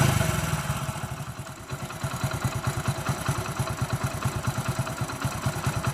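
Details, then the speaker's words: Telugu mechanic's reference bike: even, steady single-cylinder idle thump at about seven beats a second with no knocks or rattles. The whole engine is in perfect condition. "అంటే ఇది engine మొత్తం perfect ఉన్న బండి."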